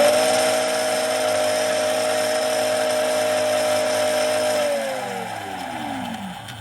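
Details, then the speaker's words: Dolphin Nautilus Plus pool cleaner self-test after re-soldering loose brush-board wire in impeller motor, motors wired but mechanically unconnected: steady motor whine, then winding down as speed steps from 26 to 17; both motors running normally. "So both motors are running."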